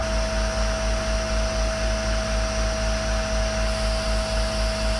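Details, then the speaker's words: Unloading a 30ft powder tanker (isoveyor) with the truck compressor, pressure building toward about 1.5 bar: constant hiss and hum with a steady high tone as air leaks from a joint in the discharge pipe, showing as back pressure; not critical. "the back pressure in the system started to show because there's leaking out of the join in the pipe so we're trying to get it into a better position so it's not making so much noise"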